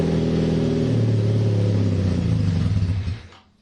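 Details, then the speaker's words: KZ440 single-carb motorcycle, choke off, before carb teardown: low, uneven idle that sags, stumbles and dies after about three seconds. Owner suspects a clogged pilot jet; it only runs on choke. "have a feeling like my pilot jet is clogged at least that's what I'm thinking because why would it be doing that something has to be clogged up in this carb"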